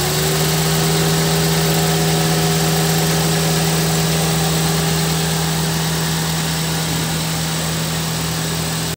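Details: Car AC/radiator condenser fan motor after replacing the growling motor (worn shaft, lubrication only helped temporarily) with a new one: steady fan hum over an even engine idle, no growl or scraping; fan sounds healthy.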